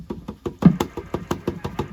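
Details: 1977 SBE Sidebander V CB radio with reported power output loss, low modulation and bad solder joints: steady low thumping pulses, about six a second, from the receiver; unwanted noise, cause not identified.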